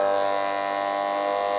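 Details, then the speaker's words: Old Bedini-style ten-coil pulse motor kit, just got running below its intended 24 V, drawing about two amps and climbing: steady, even electric buzz as the rotor reaches speed, no scraping or rattle; running properly. "you can hear it kind of buzzing up there once it gets up to speed it will then and go like that so there's a sweet spot"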